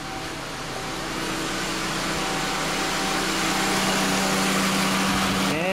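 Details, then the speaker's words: 1997 Honda Accord EX sedan with A/C blowing hot air, A/C switched on for troubleshooting; steady fan rush builds smoothly to an even hum as both cooling fans run, compressor clutch engaged, normal cooling fan operation. "both fans are working so both cooling fans are working that's good"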